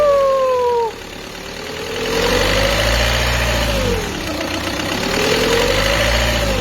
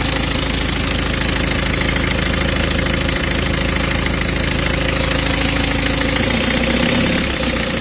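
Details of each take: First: Peugeot 206 2.0 HDi 90 at idle: a clear whine that rises and falls as revs move between 1000 and 1300 rpm, caused by a timing belt over-tensioned by an auto centre, which risks premature belt failure. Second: Peugeot 206 2.0 HDi 90 diesel after correcting an over-tensioned timing belt (workshop error), covers still open: even idle with steady clatter and clean hum, the belt noise gone, no whine or slap: normal idle.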